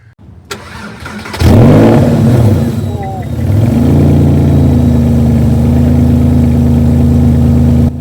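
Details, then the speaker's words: Porsche 911 (996), bought sight unseen with an MOT advisory for loud exhaust, on cold start: catches at about 1.5 seconds into a very loud raw idle, almost like no exhaust, with a faint whistle; suspected air leak, unconfirmed. "the exhaust is super loud. I mean, it's almost like it doesn't have an exhaust, to be honest. And you might also hear a whistling noise, which was in the auction."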